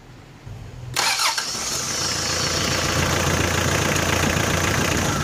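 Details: 4D56 diesel after air was bled from the fuel filter by pumping until fuel came out of the bleed bolt, the fix for its hard starting. After a brief crank it starts at once and settles into a steady even idle without stumbling.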